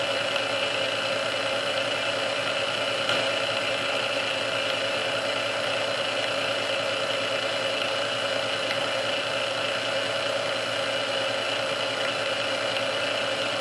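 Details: Restored Sunbeam Mixmaster Model 12 that had been quickly overheating its rebuilt speed resistor, after swapping all internal parts: steady, even whir on first (low) speed for about 2 minutes, no surging, labouring or creeping pitch; original cause unknown.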